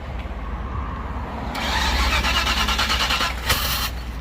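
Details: Old car being jump started, fuel back up to the fuel filter, throttle held wide open: starter churns about three beats a second for a couple of seconds then stops; engine never catches — cranking, no start.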